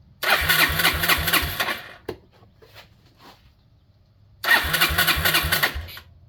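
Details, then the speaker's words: 2001 Yamaha Breeze YFA1 with newly fitted aftermarket carburetor, fuel tap switched to reserve: small single fires readily and revs in two crisp bursts with a pause between, pulling cleanly; fuel delivery sound, unlike the troublesome OEM carb. "Yeah, look at that. Very nice. These guys definitely get a good one right out of the box."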